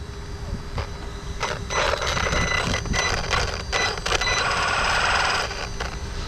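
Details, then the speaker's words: LOSI Lasernut U4 1/10 4WD brushless rock racer on its first run after refurb (new wheels, original ring gears, diffs shimmed); motor whine in bursts with sharp uneven clicks about three a second under drive, source of the clicking not yet found. "So yeah, we'll have to diagnose where that clicking's coming from."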